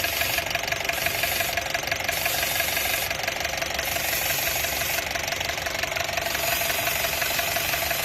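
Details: Honda City on CNG, after repair of rough running, stumbling at red lights and poor acceleration: the idle holds a steady, even beat with no stumble or shake; normal idle.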